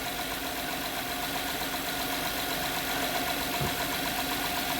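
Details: 2011 Honda Pilot at idle, customer complaint of strange engine noise and stinky smell: faint somewhat uneven tapping about four per second over engine hum; engine knocking, engine looks normal, source hard to find.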